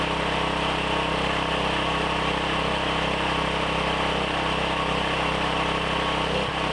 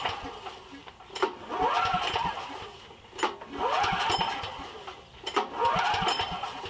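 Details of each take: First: Briggs & Stratton 7,350 W surge / 5,250 W generator after replacement carb, custom air filter and tune-up, throttle set by rough guess with no load: steady, fairly even buzz at constant speed with no surging or hunting; normal running. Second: Briggs & Stratton 7,350 W surge / 5,250 W generator that sat 6+ years, choke and throttle at max, switch on run: three recoil pulls with brief rasping cranks, no firing. It starts on starting fluid, so the no-start is fuel-related: a carburetor ruined by fuel and moisture.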